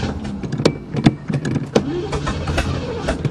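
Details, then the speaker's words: Chevy car cranking in uneven chugs but never firing; it was simply out of gas, and it starts and runs properly once fuel is drawn back through the fuel system. "now that's what a chevy is supposed to sound like see it was just out of gas yeah i didn't realize it was out of gas"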